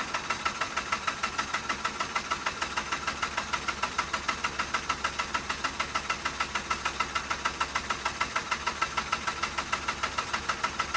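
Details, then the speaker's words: 2006 Mazda RX-8 that shut off while parking cranks without starting: rapid regular starter pulses, about three a second, for over ten seconds, never firing; owner suggests oil flooding the air filter can stop it breathing; tailpipes smoking afterward. "But you know, in some cases, guys, where they don't start, it actually floods the air filter with oil and it cannot breathe properly. Therefore, it will not start."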